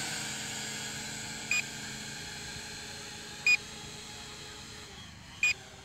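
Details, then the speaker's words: Promark VR quadcopter, no GPS, with altitude hold, in flight: short high beeps about every two seconds over a faint steady motor hum. This is its normal operating beep; all four lights blinking would signal low battery. "You will hear the beeping the whole time, and when all 4 lights blink, that means that we are on low battery."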